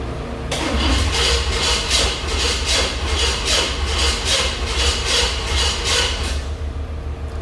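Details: Old truck just fitted with new plugs and plug wires: even starter cranking with compression pulses near three a second and no firing at all. Crank, no start; the ignition timing is too retarded to light.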